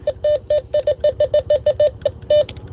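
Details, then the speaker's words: Bounty Hunter Tracker 4 metal detector on a night park hunt: a dozen short, even mid-pitched beeps, a crackly noise on a trashy target. "Hear that crackly noise? That's probably a pull tab."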